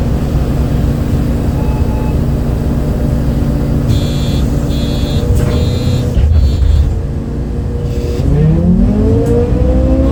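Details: 2008 MAN Lion's City A37 bus with MAN D0836 LOH 63 diesel and ZF Ecomat 6HP gearbox, recorded onboard: diesel drone with short whistling tone bursts and pitch climbing on kickdowns; an unusual engine noise of unknown cause.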